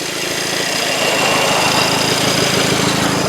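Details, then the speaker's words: 2000 VW Passat GLS petrol engine at 110,268 miles idling with a soft, quick puffing tick and hissy edge from a minor exhaust leak heard from underneath; leak location unknown, not very loud, car still drivable. "And now you can hear the exhaust leak a little bit better right here. I don't know where it's leaking from, like I said."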